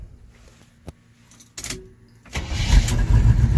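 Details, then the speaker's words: 1980 Chevy K10 with new starter, cleaned gas tank and new fuel filter, warm restart after shutdown: a few light clicks, then instant start into a steady, slightly fast idle while still on fast idle; normal hot restart. "And now the awesome part now is I can shut it off and it usually will crank right back up."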